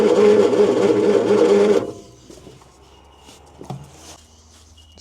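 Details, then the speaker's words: 1972 Bedford J series petrol truck, long unused, cranking while number one cylinder is checked: steady cranking of about three beats a second with no firing; no start because the distributor ignition timing is way out. "The timing is way out if that just did what I think it did. And that's number one. That's sucking now. It's just popped now."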